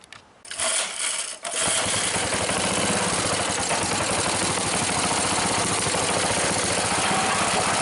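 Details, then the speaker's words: Rebuilt Briggs engine with new rubberized head gasket and muffler, venturi adjusted, choked to start: catches after a couple of pulls, settles to steady fast even buzz, idle held slightly high on purpose; normal idle. "The venturi, I think I got it about what I want. It's not idling real low, but I don't want it to idle too low."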